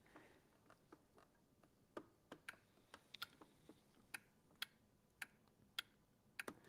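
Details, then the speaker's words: Small appliance that sat unused: handle-operated safety micro switch clicks crisply at irregular intervals in a quiet room as it makes and breaks freely; switch was likely stuck before, probably a large part of the fault. "So, we know the handle is operating it. I didn't hear that before. Um, so I'm thinking maybe that was a good part of the problem. It was just stuck."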